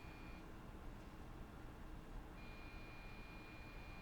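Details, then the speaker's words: PC motherboard with power supply connected, failing the power-on self-test: faint steady high-pitched beep; POST error beep code, exact cause unconfirmed. "And I'm going to let us hear some beeps. Now, the beeps can be of different pitches. They can sound a little different with different motherboards."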